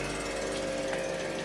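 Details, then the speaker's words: Goldwing motorcycle on-board air suspension compressor after replacing the air pressure switch: steady buzzing hum of the small electric pump running evenly without stalling, pressure climbing from zero past 60 psi; compressor working normally. "let's see if it starts oh it's working yo that's awesome"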